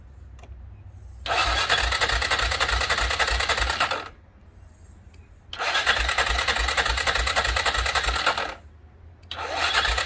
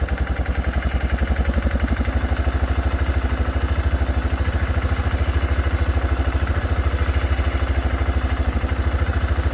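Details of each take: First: 2006 Arctic Cat 400 4x4 quad, battery showing only 6 volts, cranked on a jump pack: slow labored cranking in bursts, trying to fire but never catching; owner suspects no gas or a dirty carburetor. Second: 2006 Arctic Cat 400 4x4 quad, just started with a shot of brake parts cleaner: steady, even single-cylinder thump at idle, no misfires or knocks. No oil-burning smell; air filter slightly dirty.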